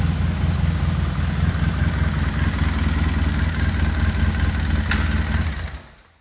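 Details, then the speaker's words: Polaris Sportsman 700 with rebuilt engine: steady, even low thumping at idle with no knocks or ticks, then a clean shutdown, normal idle. "all right guys just thought I'd show you this bad boy fire it up for you sounds like a 700"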